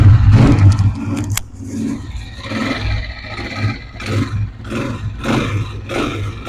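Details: 125 motorcycle single-cylinder engine after repair of an engine noise problem, blipped through several throttle rises and drops; revs climb and settle cleanly with no knock or rattle, running normally.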